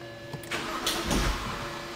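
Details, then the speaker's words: 2007 BMW 328i, N52 engine: the starter cranks the engine in a short, uneven churn that never catches, while the scope shows zero volts at the fuel pump control module supply. Crank no start; no power to the fuel pump control module. "as you can see here we're still flatlined at zero we've got no voltage what you're seeing here is actually the voltage drop of the vehicle cranking so the load of the engine is is changing that"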